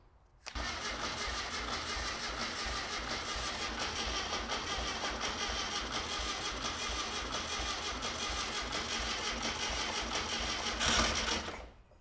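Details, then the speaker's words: Dune buggy bought for $650, first run after jump-start, timing possibly set wrong: steady rough clatter for about ten seconds with no clean idle; engine knocking, oil change needed, cause unconfirmed. "well it's running we definitely need to do an oil change though cuz it's knock on Heaven's Door just begging to come in"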